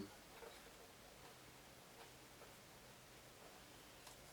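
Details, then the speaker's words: National RX-F15 boombox on mains power, radio lit and tuned, volume up: only faint steady hiss and small rustles, no program sound; no audio output, cause not yet known. "Well, it's another not doing anything. Well, it's got power to it, lit up right here, okay,"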